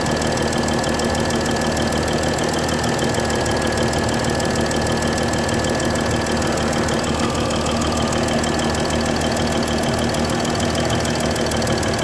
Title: Mercedes S-Class 320 Bad Injector- Nozzle Gasket